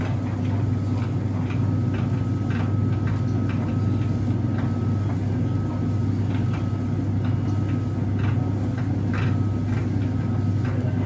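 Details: Whirlpool heat pump tumble dryer: sharp ticks about once a second repeat over a steady low drum rumble, as if something catches while the drum turns. Rhythmic ticking fault.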